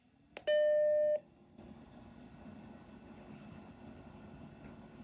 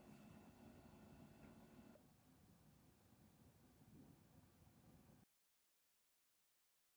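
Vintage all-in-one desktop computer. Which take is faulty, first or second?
first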